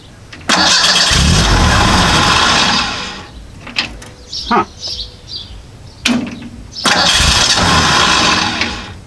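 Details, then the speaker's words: Model A hot rod coupe with a 2.3 L Ford 4-cylinder and Duraspark II ignition, just fitted with a new ignition box: the starter cranks and the engine fires once, then quits. Owner first thought it was flooded. "Now that's odd. The thing will fire and then once and then it quits."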